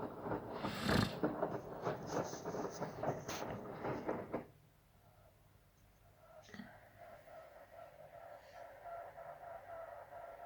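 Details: Samsung WD0804W8E washer-dryer: irregular rattling clatter for about four seconds, then a quiet hum with occasional ticks, coming on and off for several minutes; owner suspects it happens when the heater is on, source unknown.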